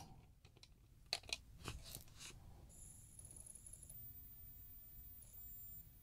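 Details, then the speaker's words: Sony Discman D-9 after recapping near the tracking circuit, previously only loaded discs upside down, now right side up: soft clicks then faint steady whine as the disc spins up; loads instantly and plays in stereo. "loads instantly and it's playing so you might be able to hear that it's in Stereo it sounds good and it loads right up"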